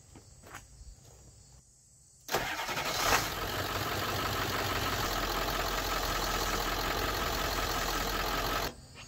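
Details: 1996 Ford F-350 7.3 Powerstroke diesel after high-pressure power steering line replacement and fluid top-up: engine fires and settles into a steady even run with no pump whine or groan. Normal power steering operation.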